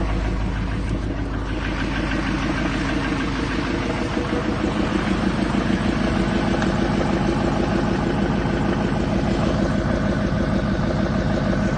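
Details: 2007 Chevy 3500 Silverado, 6.6L LMM Duramax diesel, parked at idle: deep, regular knock about three times a second over the idle; spun crankshaft bearing.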